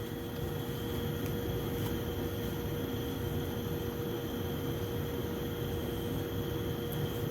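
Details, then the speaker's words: Carrier gas furnace with code 23 pressure switch fault after repair, start sequence: inducer motor starts after blower purge, steady even fan hum with constant mid-pitched tone, no rattle or wobble; inducer running smoothly. "so here it goes inducer motor just started that's going to clear out any possible unvert fuel or anything that could be in there"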